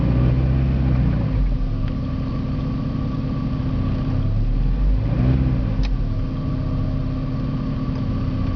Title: Porsche 951 rough idle